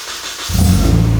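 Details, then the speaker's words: Nissan 240SX drift car after fuel pump found disconnected and reconnected, lines primed and checked for leaks: quiet, then engine catches at once and settles into a steady, even low rumble with no misfire; starts and runs normally. "Aha, it's alive again. Uh, yeah, I would say we're good."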